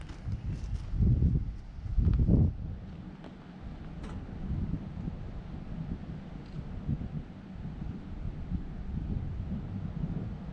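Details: Vintage Scoopmobile LD5P articulating loader (thought late 1940s–early 1950s), sat at least 15 years; after spark restored at the points, choke worked, engine catches after a few tries and settles into a steady low rumble with wind noise; coolant level unknown, run kept short.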